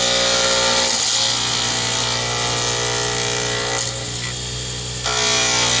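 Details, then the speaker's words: Lathe turning a D-shaped circuit board pen blank for a Zodiac pen kit; steady hum with fast even clatter about four per second as the gouge strikes the corners twice per turn, normal for this shape. "So I'm going to let you hear more of this than I usually do, so you realize when you hear the clattering that that is normal when you're working with a D-shape. You're hitting the corners twice, so you are going to hear it clunk, clunk, clunk."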